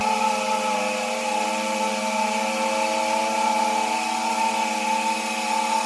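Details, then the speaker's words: Shallow water pump restarted after six months idle, valve slightly open: steady mid-pitched motor whine with faint airy hiss; still priming and drawing air before pressure builds toward 30 lbs. "I'm going to open the valve up a little [Music] bit hear the air trying to come out"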